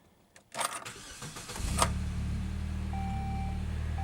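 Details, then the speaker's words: Newly acquired 2006 Saab 9-3, on ramps for an oil change, starting up: a brief crank, then the engine settles into a steady, even idle with no ticking or knocking. The oil pressure light is off, so it's a healthy start. "okay no oil pressure light so that's good the low beam failure disappeared so once i started it sounds good to me"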